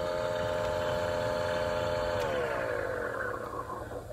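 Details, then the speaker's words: 2016 Honda CR-V, 84,000 miles, key on, mic close to the climate-control blower motor in the passenger footwell: steady whining hum with a rough flutter, pitch sliding down as it slows; debris possible, but likely a bad blower motor. "we can obviously hope that there is some debris in the cabin air filter area and maybe it's rubbing on the blower motor but i'm afraid listening to it it will be bad motor"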